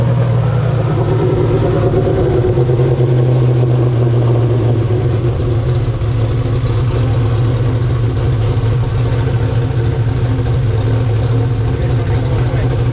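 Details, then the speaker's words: 2000 HP turbo Ford Mod motor V8 after intercooler, valve seat and exhaust leak repairs: deep, steady roar held at high revs with a rising turbo whistle, spooling in 5 seconds at high altitude. Healthy, though a pinhole leak at the number 7 EGT port was found later. "As you can see, it just spooled in 5 seconds here. It didn't even spool that quick in Georgia, and we're about 5,000 feet higher than we were in Georgia."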